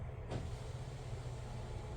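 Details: BMW E36 with an LQ9 swap, unused about six months, battery charged overnight, before first cranking: power window motor gives a smooth, steady low hum with no strain or clicks; window working properly.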